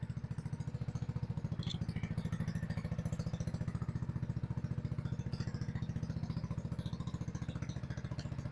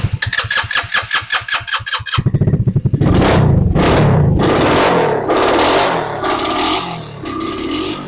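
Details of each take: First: RPS 150cc sport ATV after carb cleaning and idle screw adjustment, warmed up: steady even single-cylinder idle about 3.5 beats per second, no misses or knocks; normal warm idle, though customer reports it shuts off after about 15 minutes. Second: RPS ATV150 Sport 150cc quad, non-runner: even cranking, then catches, revs ragged and sags without holding speed after an attempt to pull fuel through by nearly letting it die then giving it air; fuel flow stopped, carburetor clogged, to be removed.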